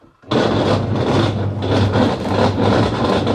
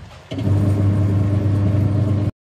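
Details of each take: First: Washing machine under laundry load: loud rough grinding with churning surge about twice a second, like stones tumbling, though no stones found inside; faulty gearbox. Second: Washing machine after repairing a gearbox that had run rough and noisy, reassembled with the old pulley: the motor and drum spin up to a steady, smooth hum with no grinding or knocking.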